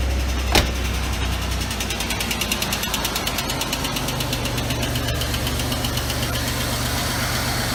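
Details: 1989 Oldsmobile Toronado Trofeo being started out of long storage on jumper cables: fast, even light top-end ticking over a steady idle right after startup, as if oil hadn't reached it, though oil was checked. The ticking is suspected to fade.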